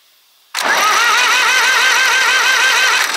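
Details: Zetor 4911 diesel tractor parked since 1986, cranked with the oil filter cracked to check for oil pressure: a steady high starter whine and an even compression beat. It turns over freely but does not fire.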